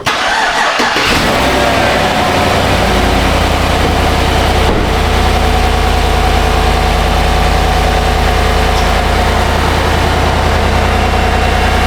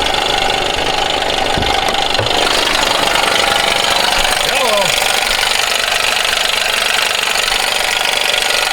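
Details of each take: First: GMC 1500 5.3L V8 after the repair: starter catches and it settles into a smooth, steady idle with no knock or rattle; the loud knock is fixed. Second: GMC 1500 5.3 V8 at 154,490 miles, owner reported a little tick: loud, uneven knocking at idle, two to three raps a second, from the accessory belt drive, not manifolds; failing belt tensioner, whole tensioner assembly replaced.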